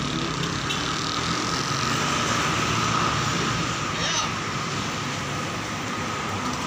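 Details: Honda Beat FI injection scooter, stuttering and bogging fault traced to a wiring problem rather than a sensor, after repair: steady, even putter at idle under street traffic with no stumbling or sputter; the engine is running normally.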